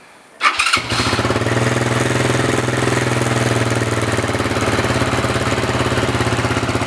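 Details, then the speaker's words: RFS150i single-cylinder motorbike test-started after fitting a racing ignition coil, loud exhaust with silencer fitted: quick crank, catches at once and settles to a steady, even idle with regular exhaust beat; starts and runs fine. "Pakai silencer dah siap. Ni ada silencer ni. Exhaust ni memang kuat, tapi aku letak silencer."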